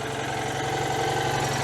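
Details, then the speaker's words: Citroën 2CV air-cooled twin started after storm damage repair, after slow cranking, easy start and too much choke, possibly flooding; even steady putter with a smooth low beat and no misses, sounding lovely. "there we go that sounded lovely isn't it"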